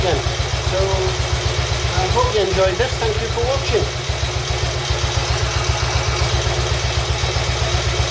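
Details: Royal Enfield Bullet 350 Classic first start after partial seizure repair, cylinder hone, new rings, decoke, valve clearances set and carb cleaned; even smooth thump about four beats a second, running properly, carb needs fine tuning.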